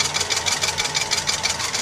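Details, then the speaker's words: Mk1 Ford Fiesta at idle with an emergency cable-tie fan belt: quick light clacking about five times a second as the belt's heavy end strikes the water pump housing, while the water pump and alternator still spin. "You just hear the sort of clacking as the the heavy end of the cable tip. Uh, I don't know if it's rubbing on something or Oh, I think it's rubbing on the um water pump housing just there, actually."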